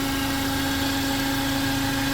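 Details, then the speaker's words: Renault Oroch (Duster) petrol engine at idle, after a new PCV valve left the noise unchanged: a steady, clear whistle over the engine hum. The mechanic suspects a venturi effect from airflow and plans to inspect the throttle body. "lo que está sonando es lo que se produce y es conocido como un efecto ventury"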